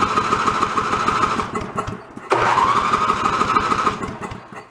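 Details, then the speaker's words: Toro 1132 snowblower salvaged from a bulk-trash pile, fuel in tank, primer bulb not working: the small engine catches, sags briefly, then settles into a steady quiet run with no smoke; it runs normally, though the carb will still be pulled. "well it runs it runs pretty good doesn't smoke quiet alright we're good to go"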